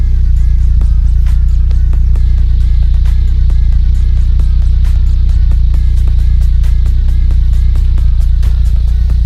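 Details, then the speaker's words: VW Polo with rebuilt Pierburg 2E carburettor and replacement starter motor: deep, even idle, steady low drone, no stumbles or hunting; much better than before repair. "¿Vosotros cómo lo veis? Yo lo veo bastante bien comparado a cómo estaba antes."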